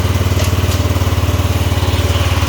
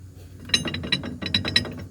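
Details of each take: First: Cub Cadet 2146 garden tractor, single-cylinder, throttle up, after transmission repair: engine putting along with an even pulse of about three beats a second at steady throttle; runs healthy. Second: Cub Cadet 2146 garden tractor that wouldn't move: irregular metallic clinks and loose rattling in quick bursts over a faint low hum; worn drive shaft bushings let the shaft rattle, and the bushings are to be replaced.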